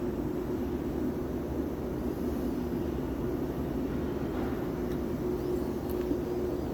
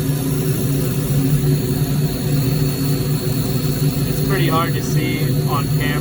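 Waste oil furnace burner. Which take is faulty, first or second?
first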